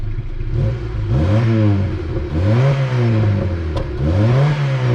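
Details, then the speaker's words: 1988 Honda Civic EF hatch, dual-carb D15, 186,000 km, soot splattering from exhaust: three or four flat, strained throttle blips; breathless, engine on its last legs, owner suspects dry valve stem seals; to be replaced with D16Y8. "pretty breathless um and it's on its way out anyway"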